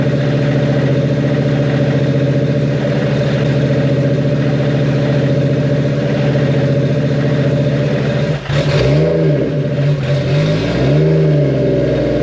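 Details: Freshly built 1.5JZ (2JZ-GE non-VVTi block bored, 1JZ-GTE VVTi head, Brian Crower 272 cams, 1300cc injectors) on break-in startup tune after oil change; steady even idle, clean smooth throttle blips, no knocks or ticks; healthy.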